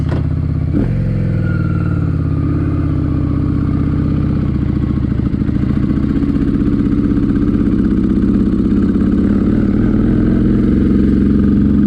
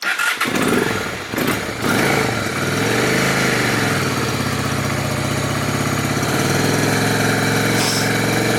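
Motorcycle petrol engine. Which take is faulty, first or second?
first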